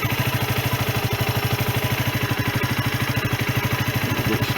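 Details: Sinnis Bomber 125 single-cylinder motorcycle, 2661 miles, after service (new air filter, oil and oil filter) and new exhaust (from an AJS Cadwell) and gasket: even, quick idle thump, no knocks or misses; exhaust no longer blowing, runs as it should.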